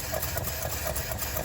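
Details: 1949 Studebaker Champion flathead six at idle: lumpy with a soft stumble roughly every quarter second; number six cylinder dead cold, number five weak, compression near zero on six, misfire; compression check of all plugs follows.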